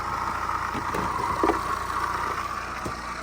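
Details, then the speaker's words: BMW 1 Series 118d diesel at idle, before the belts, pulleys and water pump were replaced: a constant mid-pitched whirring whine from the belt drive over the diesel clatter; worn water pump bearing. "So one of the pulleys on there is making a racket."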